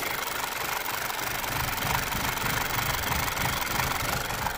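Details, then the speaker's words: 2009 Audi A4 B8 1.8 turbo petrol, fully warmed, hard to start: idle runs lumpy with an uneven bouncing pulse of about three beats a second. Engine found out of cam timing. "Yeah, it's still running a little bit lumpy, sort of. So I'm not going to be here try to make it to run like it was last time when it was kind of tapping. We've seen it's out of timing now, guys, so there is no ifs or buts."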